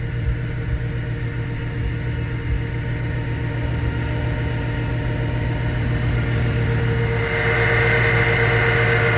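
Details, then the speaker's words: After changing the spark plugs and coil pack, the car idles evenly with a constant low hum and a faint whine, with no knocks or misses. It runs much smoother than before. Normal idle. "so the car is running the way it's supposed to now um it's actually better than it's supposed to it runs a whole lot smoother"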